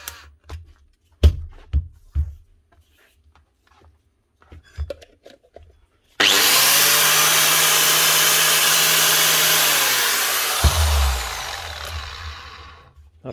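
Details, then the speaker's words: Bosch 7115 grinder test run after a new set of brushes: after handling clicks, a high, even whir spins up, holds steady about four seconds and winds down smoothly; normal running. "these things run very well because the brushes pop so soon gives you a chance to check out the machine make sure it's still working correctly"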